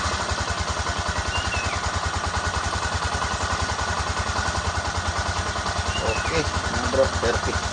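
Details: Honda XRM 125 motorcycle after converting to a YTX125 piston and piston rings, with the fuel tank cleaned of stale gasoline and rust; quick, even single-cylinder idle at about three and a half beats a second, steady and clean, normal.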